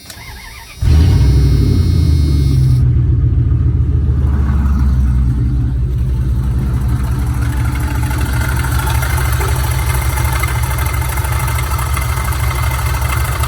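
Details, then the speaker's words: Older Dodge truck idling in park: a horrible new noise, a constant gritty whirring rumble over the idle, stops when the engine is shut off. Owner hoped it was an accessory pulley, alternator bearing or tensioner. "all of a sudden I started hearing this really horrible sounding noise and I thought oh no is that me or is Jamie's band running it maybe that's his van no set my truck off and the noise stopped"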